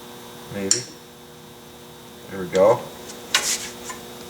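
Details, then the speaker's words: Drum brake being adjusted by star adjuster, wheel turning after backing off one click: faint scraping touches as the wheel turns; shoes barely touching the drum, adjustment correct. "go and it's running I can just hear it barely touch"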